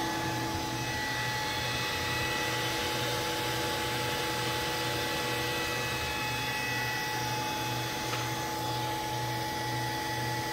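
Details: Allen Bradley servo motor MPL-B330P-MK74AA, run test after repair on an Allen Bradley drive: steady even hum with clean constant whine, no knocks, rubbing or surging; runs smoothly.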